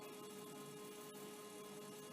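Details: Commodore 1541 disk drive, well used and possibly sat about 25 years: thin steady whine at one pitch over running hiss; owner suspects the motor or mechanism, cause unconfirmed.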